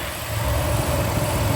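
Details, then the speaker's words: Nissan 350Z drift car at warm idle with the fans on: a loud, low idle with a raspy, puffing edge on each firing pulse. Exhaust leak; the gauge reads 0 oil pressure, though oil pressure seems fine. "Got the fans on. You can hear the exhaust leak."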